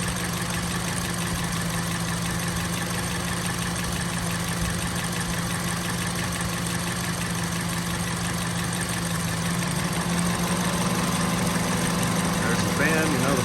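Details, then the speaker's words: 2005 Honda CR-V EX AWD, low miles, new battery and starter, idling with the microphone over the engine: even steady hum with a soft low rumble, no ticks or knocks, a clean healthy idle. "But it runs great. Fires right up, nice and quiet like a good Honda should be."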